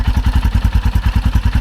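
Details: 2021 Royal Enfield Himalayan single just after new battery install and first start: deep, even low thumps around nine a second, steady with no ticks or misses; healthy idle.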